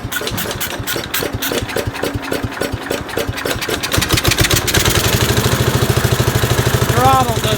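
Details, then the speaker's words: Cub Cadet 129 garden tractor after freeing a stuck carburetor float and cleaning the carb: single cylinder cranks with uneven puffs, then settles into a quick, slightly lumpy idle; runs but still smoky. "ran pretty good actually still a little bit of smoke in here I mean I couldn't even sit in here I was so smoky"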